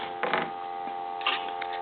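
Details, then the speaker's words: Kellogg rotary telephone after repair, fitted with a different receiver capsule and microphone: loud, steady, unbroken dial tone with brief background bumps; line and handset working normally. "you should be able to hear that dial tone from across the room or maybe even across the street"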